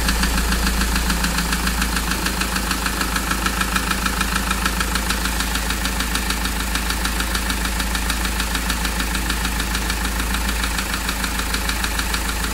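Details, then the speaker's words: Mahindra XUV500 diesel that overheated from a coolant leak, customer complaint at idle: hard, even tak-tak knock about three per second over the idle; mechanic suspects pistons hit and worn, so the engine is to be removed. "तो इसके जो sound है जैसा की friend आपने इसका sound सुना तो इसके लिए इस साउंड का जो आवाज है कस्टमर का कंप्लेंट हम दूर करने के लिए इसका इंजन बाहर निकलेंगे क्योंकि हमारा जहां तक तजुर्बा है इसका जो पिस्टन आता है वो हिट होने के बाद से गाड़ी इनका हिट हुआ है हिट होने के बाद से वो माइंस हो गया है"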